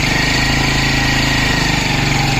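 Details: 2002 Hero Honda Splendor single-cylinder idling: fast, harsh mechanical clatter over the exhaust beat; abnormal engine noise, cause not yet identified.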